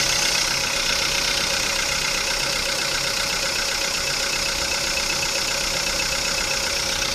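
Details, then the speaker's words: VW Polo Sedan on Lukoil Genesis Armortech 5W-40, 5,000 km on this oil, started after two days parked. Steady idle with a hissy whirring hum over the engine. Owner thinks the rollers are most likely; cause not confirmed. "Да, скорее всего ролики шумят."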